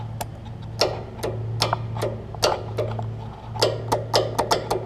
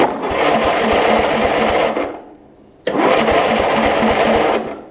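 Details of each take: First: Lowe's riding mower converted to a lawn and garden battery. About a dozen sharp, uneven clicks with no cranking: the starter solenoid is bad and not passing power to the starter. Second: Lowe's riding mower, just converted from a motorcycle to a lawn and garden battery: two two-second bursts of whirring with even chugging pulses as the starter spins the engine over; solenoid clicks, starter and solenoid working fine.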